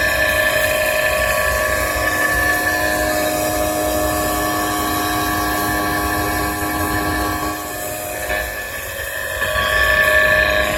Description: Sound of bad motor bearing.